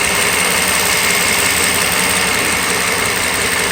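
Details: Mercedes SL600 idling on a cold day after a vacuum hose leak was repaired: steady, even petrol idle with no misses, knocks or hunting, just a smooth airy hum; engine very balanced.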